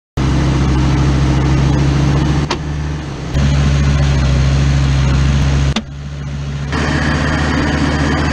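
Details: Steady low drone with a humming tone under vehicle noise, dipping briefly twice; suspected 4L60E transmission or transfer case noise, unconfirmed.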